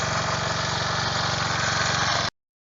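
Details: Snapper riding mower with a 12.5 hp Briggs & Stratton single, revived after sitting for years, running in neutral: even, steady single-cylinder putter with no misses or knocks, holding constant speed; running normally.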